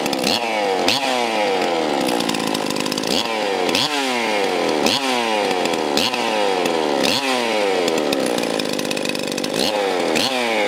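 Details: Stihl MS361 chainsaw after oiler replacement, started outdoors: repeated sharp revs about every second and a half, crisp and quick with a clean return to idle; the saw runs strong.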